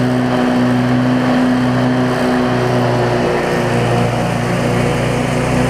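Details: Cub Cadet zero-turn mower with Briggs V-twin, previously running rich with wiring, charging and governor issues, started after tightening a part that had wiggled loose; steady drone with slight rise and fall in speed, no misfire; normal running, owner thinks it's fixed.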